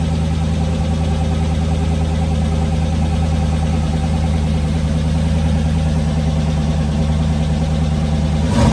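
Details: Twin-turbo LS V8 S10 on its first startup after an engine rebuild: a deep, strong, even idle with no tapping or knocking and a brief rev blip at the end. Oil pressure was good and nothing leaked; the engine is healthy.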